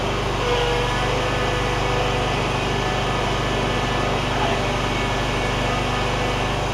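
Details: John Deere ZTrak Z915E, Kohler V-twin, sat 2 years; running warm after carb clean fixed a sticky solenoid causing no fuel. Smooth steady speed, oak leaf debris ticking on the cooling fan; normal running.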